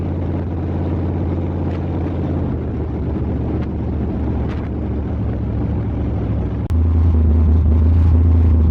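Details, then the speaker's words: Truck's newly rebuilt engine on first break-in start, idle turned way up: a steady low rumble with a lumpy beat, one cylinder dropping out each cycle. Number 1 cylinder has only about 30 psi compression, possibly a stuck ring or valves; it's a dead cylinder. "That number 1 cylinder is still questionable. We only got it up to about 30 pounds of compression. Yeah, it's not enough to fire it."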